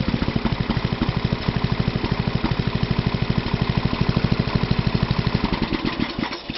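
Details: Toro 832 ride-on mower with new carburettor, start-up: catches quickly and settles into an even, steady thump of about three beats a second; starts clean and runs.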